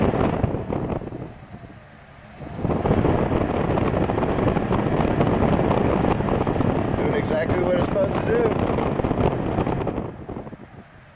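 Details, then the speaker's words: 2001–05 Honda Civic blower fan after repairing the resistor block with a soldered 1 ohm resistor, key on: quiet then steady rushing airflow holding evenly; blower now works normally. "So let's go ahead and turn the key on, and let's see if we hear the fan kick on. Oh yeah, there you go."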